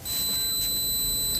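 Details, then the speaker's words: Capacitor tested with a multimeter, probes applied both ways: a single brief steady high beep, reading shows a small value then returns to 1, meaning the capacitor is charging normally and is good. "तो ये देखिए भाइयों, हल्की सी beep बजी,"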